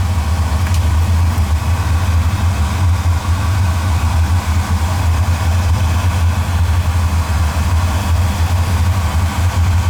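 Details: Oil-fired boiler burner, about three years old, at a service visit, fitted with a smaller nozzle and showing a lot of air before adjustment: a steady, even low roar with no pulsing, surging or sputter; firing cleanly.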